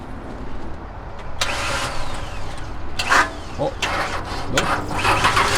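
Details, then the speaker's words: 2002/2003 Ford Ranger, unrun for about two months, started on a booster box: short whirring bursts as the starter spins and slips before grabbing, then the engine catches and runs well; worn starter needs replacing. "definitely needs a new star though you can hear it it spins a little bit if you keep going back and forth you know i guess it catches runs good"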